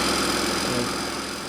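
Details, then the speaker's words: Honda GC190 pressure washer engine that would only run on choke, after carb cleaning and refitting the needle: an even, buzzy drone holding a steady idle off the choke with no surging; it now runs normally. "yeah take our needle by the crew in rather now that sounds better"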